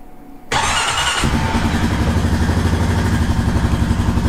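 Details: Honda Rancher ATV after brake switch replacement, started in first gear with brake held: catches at once, then steady, even thumping single-cylinder idle with no stumbling or sputter; runs healthy.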